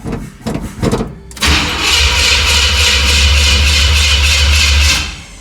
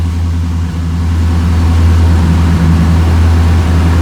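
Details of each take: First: 1977 Chevy C10, first start attempt after steering gear box swap, fuel pumped: a few clunks then steady starter cranking with no catch; crank no start, owner says the fuel filter was empty. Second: 1977 Chevy C10 V8 just started on second try after steering gear box swap: deep, steady burble settling into an even idle, no misses or knocks; oil pressure gauge working; normal idle.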